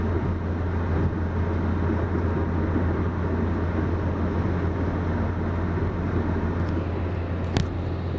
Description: 05 Ford Focus 2.0 Duratec 4 speed automatic transmission has a serious problem when in overdrive grind shakes and vibrates anybody got any ideas please leave comment if you think you know what this is